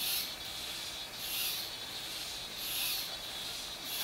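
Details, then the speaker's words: Normal thin, high squeaky gear whir from the gear-driven single-axis camera gimbal on a DJI Phantom 2 Vision, rising and falling about every 1.3 seconds as it tilts to keep level. "하지만 잘 들어보시면 짐벌이 움직일 때 끼익끼익 하는 기어가 돌아가는 소리가 들리는 것을 느끼실 수가 있을"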